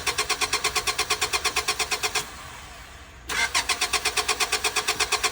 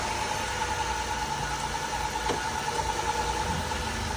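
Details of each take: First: 2000 Honda Accord at an auction yard, jump pack hooked up: rhythmic starter cranking at about three turns a second that pauses and resumes, with no firing. Cranks but won't start; no fuel suspected, though it reportedly just ran. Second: 2006 Dodge Caravan, 3.8 V6, started right up with a jump: even, steady idle with a smooth hum and no ticking or knocking. Engine sounds healthy.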